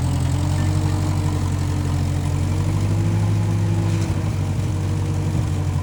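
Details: 1955 Massey Ferguson MF65 tractor, run after sitting a couple of years, carb cleaned; owner thinks the Marvel Schebler carburetor needs slight dialing in. Low, steady idle with an even beat, no knocks or stumbles: normal running.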